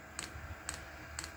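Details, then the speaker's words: Diesel air heater on a makeshift setup with empty fuel lines. Sharp single clicks about twice a second over a fan hum as the dosing pump primes diesel: normal. "Well, you can hear that now, the pump is clicking through, which is pushing diesel."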